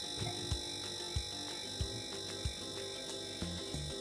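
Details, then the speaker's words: Refrigerator not cooling, compressor wired directly to mains: steady low hum with light even buzzing, vibrating slightly as it runs normally at about 0.4 A; a stalled compressor would only hum quietly without vibrating. "Kalau dipegang rada getar sedikit ya, getar dan mendengur gitu ya. Kalau dengung enggak getar berarti dia macet."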